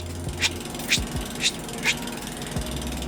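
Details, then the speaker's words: Norco XFR bike with mechanical disc brakes just adjusted: over freewheel clicking, a sharp scrape comes about twice a second, once per wheel turn. The warped rotor rubs the caliper; straightening by hand is suggested. "that's a little bit of a warp in the rotor so you can buy a proper bending tool for this"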